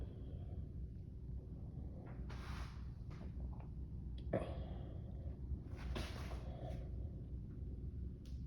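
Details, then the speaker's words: 21-year-old Bradford White 50-gallon natural gas water heater after replacing the buzzing power vent draft inducer with a modified Fasco A163: low, steady quiet hum under a few handling knocks, no buzz or rattle; working normally. "Install. There's no more noise. Working beautifully."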